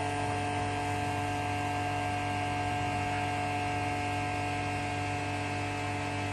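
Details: Vacuum pump on a vacuum test rig, with the top plate fastened and the release valve closed: an even, unchanging hum with no surges, knocks or rattles as the vacuum degree rises quickly; the pump runs smoothly.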